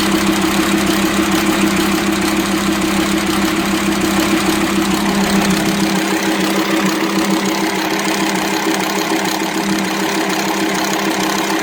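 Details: VW Transporter T5 2.5 AXD/AXE diesel at idle: loud clattery head and intake noise, uneven idle from a worn, broken INA camshaft starved of oil by leaking plugs; low power, metal dust in oil; fixed by welding plugs, new camshaft, tappets, bearings.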